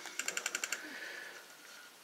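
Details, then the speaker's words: Bose Wave Radio CD player skipping when first plugged in: bursts of sharp clicking chatter, about eight a second, with little audio, easing once warmed up after about 20 minutes; capacitors or CD player voltage suspected. "as I let the city play it there's more music less chatter so that tells me that the um the CD player components um need to get warmed up and once they're warmed up they're okay"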